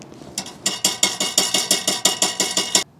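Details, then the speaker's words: 2012 Ford F-150 3.5L EcoBoost: a loose underbody bracket beside the newly installed exhaust hose clamp gives quick, sharp, tinny metal clanks when tapped; the rattle shows up sporadically at startup, especially on cold days, and probably once held a skid plate or shroud. "If we take a look directly to the right of where we just installed that, we have another item that when we tap it, it makes a rattle noise."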